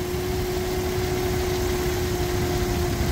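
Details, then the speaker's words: 2001 Nissan R50 Pathfinder 5-speed 4x4 at idle before repair, alternator still charging: steady high whine well above the idle rumble, constant pitch, coming from the alternator down low; worn alternator bearing, replaced with a used OEM unit. "the alternator is still charging but listen to that wine and the noise is definitely coming from down there"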